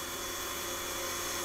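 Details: Rotary motor-generator converter, 12 V DC in to about 180 V DC out: steady, even high whir with a smooth motor hum and no rubbing or knocking; running normally.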